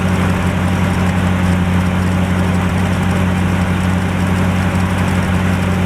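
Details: 1949 Chevrolet engine restarted after long storage with new fuel and battery, steady low idle with a slightly uneven throb and no knocks while warming; it smokes and the owner is monitoring it, hoping it clears; the thermostat later opens, but oil pressure is unmonitored.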